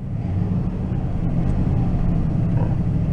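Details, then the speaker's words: 2004 Toyota Tundra V8 idling in gear with a deep, uneven rumble that stumbles and breaks up; engine light flashing, scanner shows random multiple-cylinder misfire and an O2 sensor code. "if that goes to kick down it runs very rough idles very wrong i can feel it right now if i'm hitting it"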